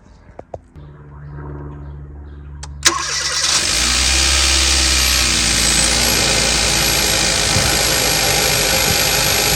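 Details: 2015 Kia Forte 1.6 GDI after swapping a coil found bad by field test for multiple misfire codes: quick crank, catches cleanly, settles into smooth even idle with no stumble or skip; running perfect.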